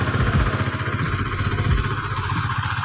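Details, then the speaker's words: Honda Sonic 150 with worn cam rocker from dry oil, repaired using an RXZ connecting-rod part, after hundreds of km: low, slightly uneven single-cylinder putter at idle, no knocking or clatter; normal idle. "jadi ini memang motor ini setelah diakali pakai stang seher RXZ bilamana diganti tutup noken AS nya tapi ini sudah menempuh jarak tempuh ratusan km ini saya rasa masih bagus ya"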